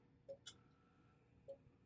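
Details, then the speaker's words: Faint irregular ticking as the power supply of a battery-damaged Apple Macintosh IIfx tries to start and can't; capacitors checked, voltages 3 V; power supply fault suspected, to be opened. "Like the power supply wants to start up, it just can't quite do it. Yeah. So I think we have a problem in here."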